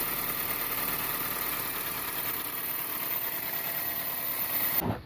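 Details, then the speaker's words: 2000 Toyota Celica idling right after exhaust manifold gasket replacement to cure an exhaust leak that caused a lean P0171 code: a smooth, even low hum with no ticking or puffing while anti-seize burns off. Normal idle. "Everything is put back together, and I'm gonna start it up and check it out. So it's running off all the I put some never grease in there, so it's burning it off."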